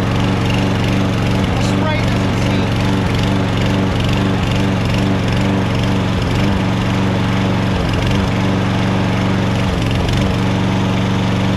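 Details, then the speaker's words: Troy-Bilt 21" XP self-propelled mower (12AI836M011), cold start: engine speed dips and recovers unevenly, surging for about half a minute to a minute until warm; owner suspects a vacuum leak or cracked plastic intake manifold, tested with carb spray. "so i'm going to start it up for the first time in a cold start and see how it sounds"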